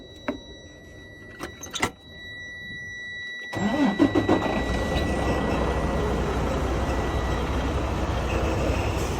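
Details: Freightliner Cascadia diesel that would not start, after replacing batteries found faulty on testing: clicks and thumps, quick crank, catches into steady even low rumble; starts cleanly now.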